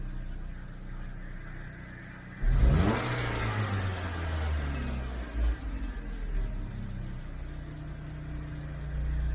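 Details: 2012 Dodge Avenger: smooth idle, then a quick clean throttle blip that rises and settles straight back to idle without hesitation or stumbling.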